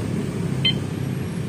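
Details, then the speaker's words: Honda Vario 125 LED 2017 with a one-way MP alarm, key-on: one short high chirp means the immobilizer is armed; the engine won't start until the remote's lightning button is pressed. "bunyi beep ini kita starter kayak gimana pun gak bakal bisa karena kita belum nyalain eh apa ya namanya persetujuannya dari remote"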